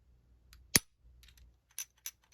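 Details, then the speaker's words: Glock 23 Gen 3 pistol, a month of heavy use: a sharp trigger snap then three light metallic clinks about a quarter second apart, the untensioned firing pin wiggling inside after the trigger is pulled; normal by design. "So when there's no tension on it, the firing pin in the design of the Glock is supposed to be, wiggling on the inside."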